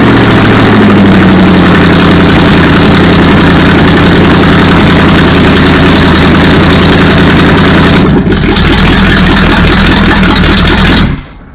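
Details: Supercharged V8 in a 1959 Vespa microcar, refuelled from a hand-held can with throttle worked by hand: cranks briefly, catches into a lumpy but steady idle with deep even firing; timing, fuel pump and cooling still to sort.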